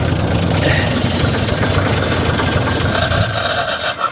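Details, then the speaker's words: 1955 GMC 350 grain truck engine, fed fuel by hand and cranked by shorting the starter with a screwdriver, catches briefly with uneven firing then dies; owner says he drowned it with too much gasoline; cranks but will not start. "having a hard time feeding her gasoline guys let's try it again all right damn it i drowned it is what i did"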